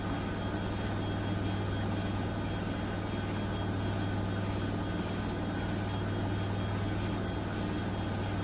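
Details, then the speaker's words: Bosch WFP3300 washing machine after new drum bearings and door seal, citric acid test wash heading to 1600 rpm final spin: steady, even low hum, no rumble or grinding, tumble dryer clacking in background; bearings healthy. "so it's pretty good i reckon it's very quiet really it should wrap up now and just give it the last spin to 1600."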